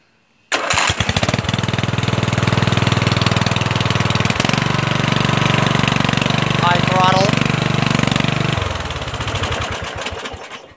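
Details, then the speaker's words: Murray 14.5 hp 42-inch lawn tractor, after fixing a ground miswired to the wrong starter solenoid terminal: fires first try and settles into a steady, even idle with no misses or stumbles; starts and shuts off normally. "let's see if it starts and it shuts off no problem that's what it was can you believe that jigging and surprisingly it starts up pretty well now you know"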